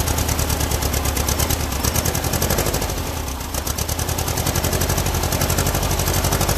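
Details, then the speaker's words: Freshly built air-cooled Volkswagen flat-four at first-ever start-up, oil pressure confirmed: uneven, lumpy firing around three pulses per second with a stumbling rhythm, running rough because the carburetors are way off and need tuning. "and what I would do at this particular point now is start tuning the Carver's as you can hear by the way it's running that it's that they're way off"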